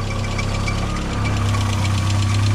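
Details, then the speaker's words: VW Mk2 Jetta started after long storage, cold start on possibly bad gas: quick, light, even valvetrain ticking over steady idle, expected to quiet down as it runs; no leaks seen, cause of tick unconfirmed. "quiet down ah St better so the tick will quiet down and let it run 10 or so minutes make sure there's no leaps"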